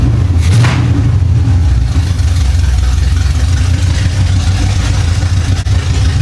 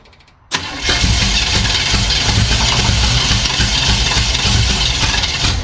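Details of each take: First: 1975 Chevy Monza with swapped-in 350 small-block V8, sitting about 20 years, just started after fixing the distributor: deep, lumpy idle with steady burble and a quick rev; fires evenly, sounds healthy. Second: 1975 Chevy Monza 2+2 with swapped-in 350 small-block V8, sat about 20 years: fires abruptly and runs ragged, uneven and stumbling; timing light shows no spark, misfire traced to a faulty distributor.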